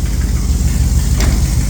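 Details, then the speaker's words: 1976 Dodge W200 Power Wagon with electric fuel pump and cherry bomb mufflers: deep, loud V8 idle with a rapid puffing, ticking edge from an exhaust leak up front; runs and sounds okay out the back. "you can definitely hear that uh exhaust leak up there but she does run sounds okay out the back"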